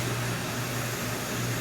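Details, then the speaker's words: Coleman single-burner stove at full flame after warming the generator: steady, even rushing roar with a faint low hum, no sputter or surging; burner running cleanly. "there you have it on Full Tilt so this is a fabulous stove great power great flame control easy to operate you got one lever that does it all"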